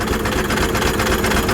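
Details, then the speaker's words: Blown 12-valve diesel that ran out of oil and ate its turbo (owner suspects turbo debris entered the engine), idling with the turbo not spinning; a hard regular knock over the clatter, as if a rod is about to eject, shaking the truck. "she is knocking so bad it sounds like a Rod's about to eject out the block bad Turbo's not even moving"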